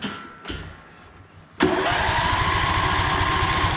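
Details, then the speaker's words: One of the lawn tractors compared (John Deere 145, Cub Cadet LTX1050, Murray Select), battery fully charged: a few quiet knocks, then it catches at once into a quick, even chug. It cranks faster than the other mower, whose starter sounds nasty. "I mean, that sounds fine. And also hear how fast that one spins compared to this one."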